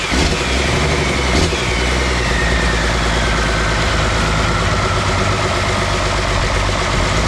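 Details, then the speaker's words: Cummins 6BT diesel being fitted to a GU Patrol, first start after priming oil pressure: catches quickly and settles into a steady, even idle clatter with no knocks or stumbles, with some smoke; a healthy start and idle. "there you have it guys i'll put on a bit of a smoke show here the engine runs it's all good"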